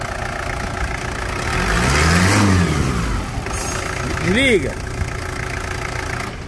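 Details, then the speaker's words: Toyota Land Cruiser Prado diesel, after the original Toyota starter motor was fitted along with correct Prado engine mounts: it catches and settles into a steady, even, smooth idle with no knocks, grinds or misses. The start is described as soft; a normal idle. "vou resumir com duas palavras para fica macia né acabou de falar fica macia a partida dá para sentir uma maciez que se sente assim de longe"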